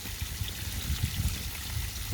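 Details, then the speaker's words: Homemade DIY bakki shower pond filter from three 51-litre boxes, lid back on after loading 75 kg Alfagrog media: soft steady trickle with low gurgles, no hard splashing; media muffles flow, nice and quiet, neat job. "there you go nice and quiet nice neat tidy job happy with that"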